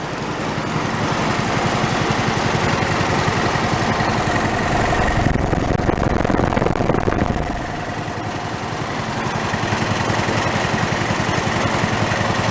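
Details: Toro riding mower engine running with half the crankshaft missing, no throttle, kill wire removed: lumpy thumping idle about 220 beats a minute with heavy uneven shake; unbalanced crankshaft.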